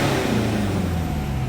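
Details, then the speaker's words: Mitsubishi Pajero Sport KG4 diesel with black smoke and poor acceleration, after replacing the cracked intercooler pipe: engine revs up cleanly and quickly with a full even roar, no hiss or stumble; turbo boost responding normally. "ตอนนี้อยู่ที่รอนะอันนี้เร่งแต่แป๊บเดียวก็รอบขึ้นเลยนะครับ"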